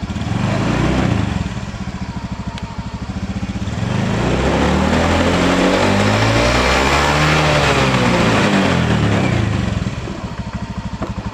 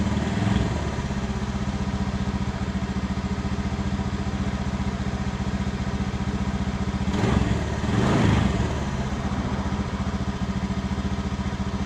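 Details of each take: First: Honda Beat FI scooter that was cutting out suddenly, after a new battery and new spark plug: starts cleanly and revs up and down smoothly with an even, steady exhaust note; problem fixed: normal revving. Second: Honda Beat FI scooter with new battery, before plug change: idles with an uneven, stumbling beat and bogs on each throttle blip, unable to rev past idle; a new spark plug is fitted next: misfire, spark plug suspected.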